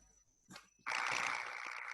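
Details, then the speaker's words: Ultrasonic inspection of electrical insulation: after a short blip, a steady sizzling, frying hiss holds evenly; the typical sound of partial discharge. "Ça, c'est de la décharge partielle."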